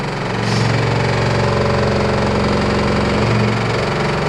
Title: LG F14A8RD loud noise